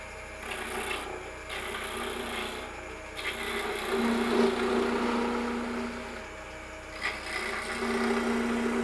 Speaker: Again, without the tailstock, you hear the vibration, so we're not taking near as aggressive a cut.